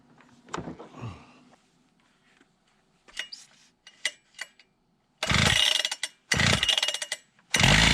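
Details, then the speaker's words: Husqvarna K760 gas concrete saw at test run after ignition coil replacement, service, and fuel filter and tank cleaning: fires in short ragged bursts that surge and drop out instead of holding steady revs; running better but rough, carburetor issues suspected. "Well, it's running better. Sounds like it's got carb issues."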